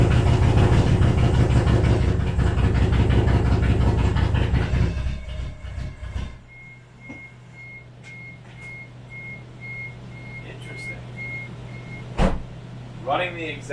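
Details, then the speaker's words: Toyota Cressida with swapped 1UZ V8: lumpy, uneven idle with irregular stumbling, one bank's cylinders dead; new coil pack and igniter made no difference, so misfire traced to that bank's distributor cap and rotor (one per side). "all right it's a little bit of an update here wasn't the coil pack i didn't make a difference tried the igniter which is sitting over there didn't make a difference so it's all the cylinders on this cap and rotor"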